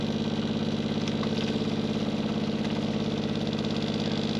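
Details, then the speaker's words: Caravan water pump running: steady low motor hum with a fast even rattle about three beats a second; noise mostly from the pump vibrating against its mounting, pulling it away reduces it. "but I would say a lot of the noise is coming from over here and here see just pulling that that out is helping"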